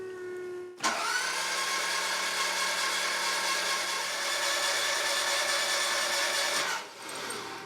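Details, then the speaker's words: Toyota MR2 engine cranked with spark plugs removed, like a compression test, checking rebuilt oil pump; about six seconds of smooth, fast, even starter whir, no compression pulses, turning over quicker than with plugs in. "So it definitely sounded different without the spark plug. Seemed like it was turning over quicker."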